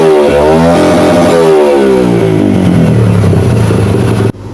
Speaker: naglagay lang tayo ng fuse para mapasukan ng 12 volts yung ating cdi para kapag nag-high rib tayo may constant supply siya na 12 volts